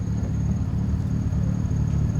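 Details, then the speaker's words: 1995 Honda Civic coupe after replacing the idle air control valve and running a few minutes: deep, steady idle rumble with no stumble or hunting, no longer shaky, though the check engine light still shows the same code. Normal idle. "See that? Back to normal. So the idle's good. Steering wheel, you guys seen the first time I started, the thing was like really shaky. Sounds normal now. It's idling perfectly normal."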